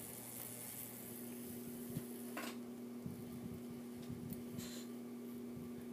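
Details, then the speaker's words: 42" Hampton Bay Littleton ceiling fan on medium speed with the light kit fitted: fan hum with a faint steady buzz over it from a loose bare screw rattling in the light kit. "i think it's the bare screws i don't know if you can hear it and it's the light kit buzzing around oh it's this little screw that's buzzing around"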